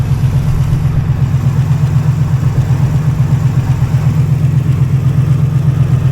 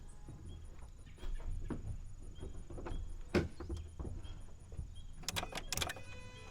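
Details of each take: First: Auction rock-quarry truck with 297,000 miles, previously inoperable, first start after cranking; muffler has a hole. Steady, even low rumble with regular firing beat, no misses or knocks: engine idling normally. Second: Inoperable auction truck after restoring power to the starter circuit: single sharp clicks with each key turn and no cranking; starter found seized, could not be turned by hand once removed.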